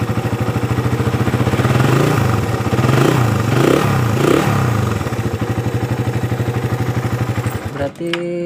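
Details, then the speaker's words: Suzuki Satria FU motorcycle whose starter only clicked "tek tek", after the starter dynamo fault was fixed: started on the button, a steady even single-cylinder beat with no clatter or misfire. Normal idle. "nah kalian bisa lihat dan kalian dengarkan motor sudah nyala pada saat saya tekan tombol"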